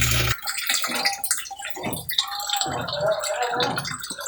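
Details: Sharp automatic washing machine, repaired after no wash and no spin: loud splashing and gushing water with steady flow and no knocking or grinding; normal drain.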